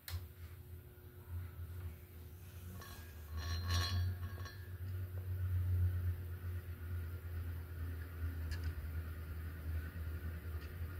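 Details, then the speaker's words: 42-inch SMC U42 ceiling fan, old and long unused, after blade and light kit repair: steady low motor hum on startup with faint irregular crunchy ticks; owner believes bearings are dry from sitting and need breaking in. "But I'm sure the noises we're hearing now, or the little crunchy noises we're hearing every now and then, is just the bearings being dry from sitting for so long."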